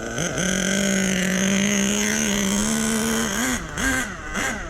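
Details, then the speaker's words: Small nitro RC engine during break-in, idle set too low: buzz sags and wobbles as it nearly stalls. "You can hear the idle so low in it, so I turn the idle down."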